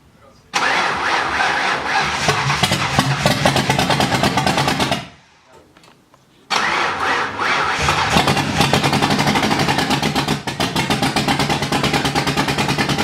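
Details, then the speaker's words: Ford Mustang (Driftstang) first start after rebuild and water pump replacement, no oil pressure reading yet: engine catches, stumbles and dies, then runs ragged and uneven; owners suspect distributor 180 degrees out, plan to reinstall it and retime. "so what we're gonna do now is because it was running so rough we're gonna take the distributor out crank the motor home for a hundred and eighty degrees and then put it back in and see if it runs better and then time it from there"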